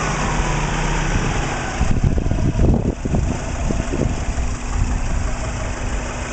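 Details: Warm engine at operating temperature, running about 10 minutes, previously suspected of piston slap; plugs, coils and timing belt checked. Vacuum steady at 20 inHg, idle oil pressure about 38 psi. Clean revs with only valvetrain and injector ticking, no low knock.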